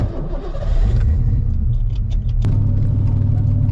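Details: 1990 Mustang after new fuel pump, tank, lines, cap, rotor, coil, plugs and injectors, with welded rear diff, starting before driving; deep rumble builds, catches with a thump, settles into steady even low idle; engine starts normally.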